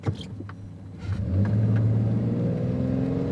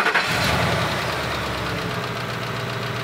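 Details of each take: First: Low-mileage six-cylinder used Toyota pickup under full throttle at a drag strip: a smooth engine note rising steadily with smooth shifts and no knocks or misses, so the engine sounds healthy. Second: Old 5.4-liter V8 truck with five-speed automatic, 280,000 miles, doesn't smoke or burn oil, started and idling steadily with a faint light lifter clacking, expected on an old engine.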